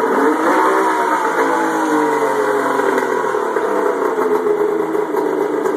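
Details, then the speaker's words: Turbocharged Indy 650 triple snowmobile engine (GT1752 turbo, MS3x sequential EFI, Ford MAF, LS1 coils) just started: steady, even idle with constant buzzing drone, no misses or surging; normal idle. "as you can see it a idle all day long Mega s here controlling it all"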